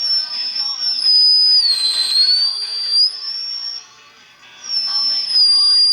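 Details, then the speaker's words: Radio squeal: a piercing, very high whistle that wavers and dips in pitch, cuts out briefly, then returns. The owner thinks it has something to do with the volume; the cause is not confirmed. "but like I said get the uh squeal out of it but it's got something to do with I think the volume"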